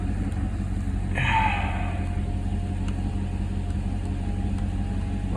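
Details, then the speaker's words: Mercedes C55 AMG V8 after intake manifold install, manifold nuts retightened about half a turn after settling loose: steady settled rumble, no hiss or whistle; earlier noise gone, normal idle. "all right guys we just tightened down the manifold a little bit more definitely got rid of the sound that I was hearing"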